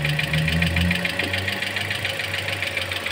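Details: Toyota Altis petrol engine, coolant left empty after AC compressor replacement, air bubbles in cooling system, knocking returns while bleeding: steady knock about three and a half beats per second at idle; cause suspected, not confirmed.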